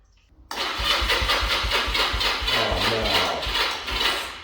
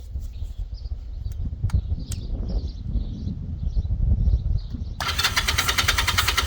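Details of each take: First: 1985 Honda Rebel 250 after carburetor cleaning, fresh gas: starter turns over slowly at about four lazy strokes a second, fading without firing. The battery is dying. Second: 1980s Honda motorcycle, sat about 5 years, started on a jumper pack after carb cleaning: low uneven thump, then catches and settles into a steady even-firing idle; starts and runs cleanly.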